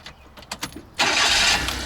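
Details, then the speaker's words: 1995 Daihatsu Hijet S110P EFI, automatic, started before A/C recharge: about a second of cranking then fires straight into steady bright idle, fan belts with no squeal; normal start and idle. "it up foreign starts up nice and easy super smooth fan belts running without a problem"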